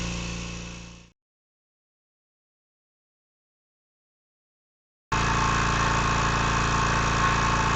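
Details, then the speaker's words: Kobalt 26 gallon Quiet Tech air compressor after replacing the faulty pressure switch (it only started from zero tank pressure): starts and pumps with even, steady drone, no leak hiss; unloader working, holding pressure at 28 psi and building. "the unloader's working there's no leaks it's holding pressure at 28 psi let's keep going"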